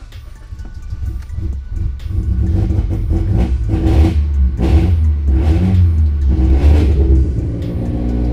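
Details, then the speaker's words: Modified big-turbo Mitsubishi Evo X that dies at stoplights in hot weather; restarting during idle relearn after unplugging the MAF and cleaning the throttle body, it stumbles, won't start, then catches and revs in uneven surges; owner suspects throttle body cleaner. "I think every time I unplug the MAF, it kind of has to relearn itself. Nice, now my car's not starting. What is going on here?"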